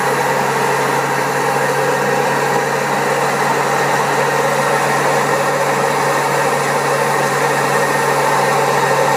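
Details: Old Servis Caress 1300 A washing machine spinning at 1300 rpm: steady hum under a rough, gritty roar from very bad drum bearings; it also has a creaky pump.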